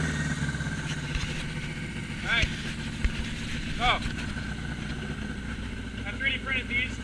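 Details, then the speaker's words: 1981 Yamaha XS1100 cafe racer powered by Speeduino, idling: uneven idle beat slowly creeps upward as the engine leans out running out of gas; idle rise from fuel starvation. "well there's the idle climb as it runs out of gas"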